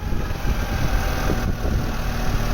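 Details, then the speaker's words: Vauxhall Astra Mk3 1.6 LS saloon, first start after sitting over 10 years: smooth steady low idle, even beat, no knocks, ticks or misses; runs healthily. "not having run for probably over 10 years awesome i'm delighted to see that it starts and drives anyway which is some progress"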